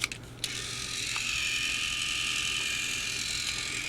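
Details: Mattel Trackmaster Thomas-series motorized toy engine (Hank, 2009): after switch clicks, steady even high-pitched whir; very quiet, normal gear motor running.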